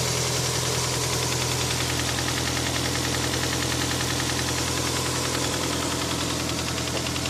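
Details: Toyota 7A-FE engine at idle with a fast, fairly regular tapping, about three per second, over the engine hum; owner asks what the foreign knock is, origin unknown; engine knock.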